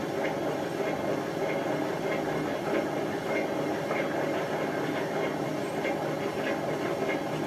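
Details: Hotpoint First Edition FEW12 washing machine left outside for months: slow drum tumble, not running straight, coarse rumble with a roughly regular rattle about every half second; badly worn drum bearings.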